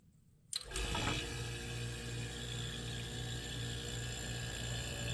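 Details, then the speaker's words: 1973 Westinghouse 25-pint dehumidifier with an R12 compressor and fan motor. It kicks on and settles into a steady low hum with even fan rush, no knocks or rattles; runs very quiet and healthy. "I wonder if that's the full speed that the fan motor is running at because if it is the this thing's quiet to kind of makes sense since uh this particular a is uh designed to run on the low operating pressure R12 so it's a much quieter running compressor"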